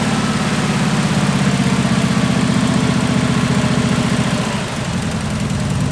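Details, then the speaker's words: 1974 Jeep CJ5 rock crawler just started after years sitting: a low, loping, uneven idle that stumbles. Idle is raised to keep it running while varnish and stale gas clear through the carburetor. "I don't want to die there a little bit to adjust the idle a little bit up until I get some of that varnish and stretch gas running through there"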